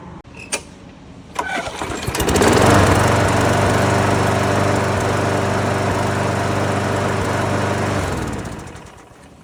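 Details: Lawn mower, after reinstalling the blade adapter secondary retainer that caused the metal noise; pull-start catches right away and holds a steady, even drone with no metallic rattle, then winds down cleanly; runs fine.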